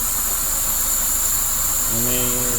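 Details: Toyota Corolla (All New/Great Corolla) radiator fan in high-speed mode: loud, steady rushing whoosh with no scraping or wobble; cooling fan runs normally at full speed.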